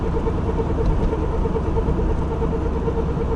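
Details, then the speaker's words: Worn wheel hub bearing while driving: steady throbbing mid-pitched hum with rough edge over road noise, disappears when steering slightly right, stays when steering left; possibly inner race spinning on the hub, slight steering wheel vibration. "слегка поворачиваю направо пропадает пропадает Слегка налево не пропадает направо пропадает налево звуки конечно могут отличаться быть разные но бывает и вот такой вот"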